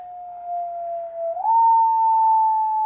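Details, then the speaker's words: ICOM 751A ham radio receiving a signal-generator carrier in sideband mode during PLL repair (owner reports distortion on the upper bands): a single pure, steady mid-pitched tone, drifting slightly as the generator warms, with no warble or buzz. Clean carrier tone. "is nice and pure which is what we should hear from a carrier we should just hear a nice pure tone"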